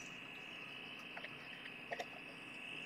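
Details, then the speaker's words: One-transistor radio with diode kit project drawing 5 mA; steady humming, chirping whistle, no station received, tuning capacitor has no effect, touching transistor base changes sound: oscillating instead of receiving. "It's just this humming, chirping kind of thing."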